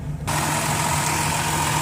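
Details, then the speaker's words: 2007 Dodge Grand Caravan wheelchair van, 67k miles, 3.8 V6 at idle under the open hood after start with no check engine light: smooth, even hum, steady pitch, no ticks, no belt squeak, no smoke or leaks; healthy normal idle. "it's got a 3.8 v6 idle smooth it just feels good I don't see any signs of any leaks there no smoke no belt squeaking sounds pretty solid"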